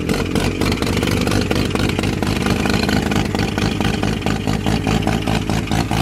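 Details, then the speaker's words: Mazda FD RX-7 bridgeported rotary, first start after clearing flooding, fuel pump wiring temporarily jumpered: choppy, lumpy burble that revs up cleanly with no knock or grind; started right up. "oh there we go Lads she started just like that"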